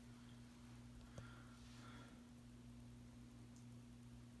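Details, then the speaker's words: 52-inch oil bronze Harbor Breeze Caratuk River ceiling fan with gazebo light kit, on low speed just after start-up: faint steady low electrical motor hum under room noise; fan hums a lot, has some vibration issues, not too bad. "As you can tell, this fan hums a lot. This fan's definitely got some vibration issues for sure."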